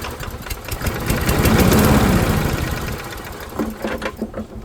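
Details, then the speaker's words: Late-90s Murray-built Dynamark Plus 21-inch mower re-fired: revs climb to a loud, frantic buzz and stay too high; it is overspeeding, throttle apparently disconnected or stuck. "I don't like it running that fast though. That's oh, the throttle's not actually connected, it looks like. Or it's stuck."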